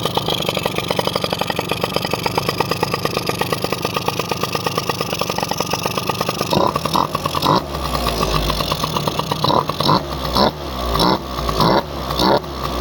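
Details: Honda AF18E two-stroke engine swapped into an AF09 scooter, just after start-up with new part fitted showing fuel inside: even, quick popping idle, then several throttle blips rising and falling cleanly; running normally.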